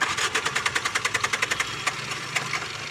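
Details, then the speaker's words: Tata Indigo ECS Dicor diesel; scan shows only low diesel pressure and petrol is fed to help start. Cranking thumps slow and falter without clean firing, a hard start blamed on injectors leaking back. "ये पूरा ही back है, injector इनका पूरा ही back है, इसीलिए problem हो रहा है।"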